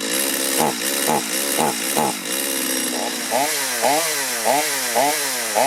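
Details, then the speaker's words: Stihl chainsaw that was hard to start after running and bogged on acceleration; revs surge and sag about twice a second instead of holding steady, hunting and running poorly before carburetor adjustment, cause not yet found. "That doesn't sound good. There we go. That's not good. I'm going to go ahead and try to adjust the carburetor."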